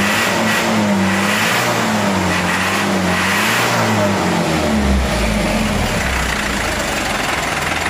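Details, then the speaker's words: Mitsubishi Canter HDL 136 diesel box truck before repair: revs up and down with uneven, wavering drone that won't settle; rough running from injection pump timer found broken, fragments in oil pan, bearings unharmed. "Suaranya kayak kena ini Ya kemungkinan timer bospnya Coba nanti dicek lagungkar bospomnya ya"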